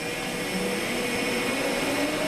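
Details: Japax wire EDM powered from three-phase via an isolation transformer, main switch on and start pressed (clicks on), no wire running: steady whirring hum with fixed tones holding even while it warms up over a couple of minutes; normal.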